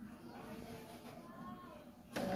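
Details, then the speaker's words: Epson L-series printer without a screen, head cleaning started without a PC by holding the resume button until the power light blinks: quiet whirring of small motors, then a louder mechanical buzz as cleaning runs normally. "Kung naririnig ninyo, ayan na, nagki-cleaning yan."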